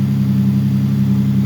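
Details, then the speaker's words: Nissan Pathfinder idling after replacing an alternator that failed after 6 months; battery light out and charging, with a steady chuffing rumble from an exhaust leak that was there before the repair. "Looks good, sounds good, minus that exhaust leak, but that was like that before it came"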